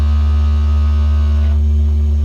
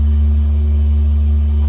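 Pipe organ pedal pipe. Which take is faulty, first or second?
first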